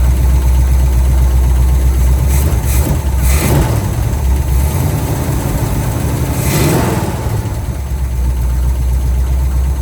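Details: 1971 Pontiac LeMans V8 running for the first time in a very long time on a temporary fuel feed after tank drained: deep, steady burble idling evenly, no knocks or misses; engine running healthy.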